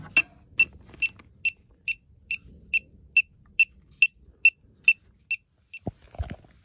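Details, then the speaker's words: Elitech WJL-6000 refrigerant leak detector chirping steadily about twice a second at an already known leak point where soap bubbles show a leak, worst after system shutdown; owner unsure detector is reading that leak. "I don't know if that's what the detector is picking up, because that's where I see a leak whenever I spray the bubbles there."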